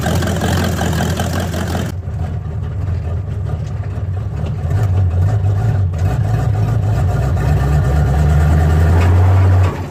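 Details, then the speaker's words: Old El Camino V8 fired up in cold weather around 35–38°F: deep, steady low rumble at an even idle of about four beats a second with no knocks or misses; normal idle. "that surprised it still runs folks should we keep this [ __ ] thing"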